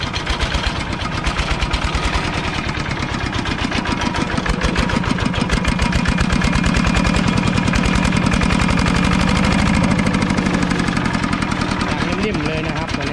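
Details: Used 105 LM single-cylinder diesel walking-tractor engine with front hand crank, described as running soft: steady thumping at about three and a half beats a second, even and unstrained; normal healthy idle.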